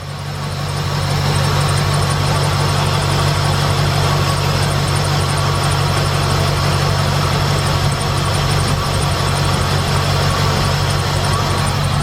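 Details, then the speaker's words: 2007 Chevy Express 3500 V8 that had a sticky lifter tick, idling after a Motor Medic engine flush: even, steady idle with no ticking from the top end at all; normal idle. "Nothing, no tick, nothing."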